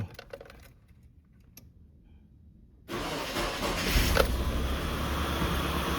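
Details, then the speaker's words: 1988-97 Nissan D21 Hardbody after AC pulley replacement; engine starts and settles into a smooth, even idle with no belt squeal or chirp; normal idle. "No squealing. That's what I like to hear. Oh, it sounds good."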